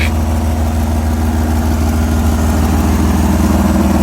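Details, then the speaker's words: 4A-FE-swapped 4WD Toyota Tercel wagon on its first start after a timing belt replacement settles into a steady, even idle with a smooth low hum and no knocks or misses; sounds healthy. "Test fire. Healthy. Sick."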